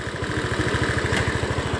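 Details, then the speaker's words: Honda Scoopy scooter idling with a quick, even putter after cleaning the injector (hard-starting complaint, fuel pressure normal at 40); starts and revs normally now. "Hidup, Teman-teman. Enak ini. Coba kita gas. Normal, Teman-teman. Sudah normal."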